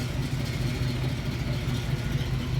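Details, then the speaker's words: 1981 Pontiac Trans Am after leak fixes, warm with temperature around 200, exhaust heard at the tailpipe with condensation water dripping: a deep, steady idle burble, even and smooth with no ticks, leaks or misses, healthy. "Let you guys hear the exhaust. Look at the water dripping out of there. Condensation. Sounding good, she's looking good."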